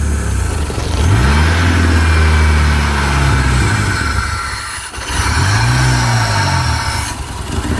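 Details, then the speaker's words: 1989 Shelby Daytona turbo (engine possibly swapped) first start after sitting about 14 years on old gas: engine screams to very high revs and hangs, swooping unevenly as if at full throttle; something suspected sticking, possibly idle air control, cause unclear. "something's sticking on it letting it go it sounds like Full Throttle it's scaring me because I don't want to blow it up"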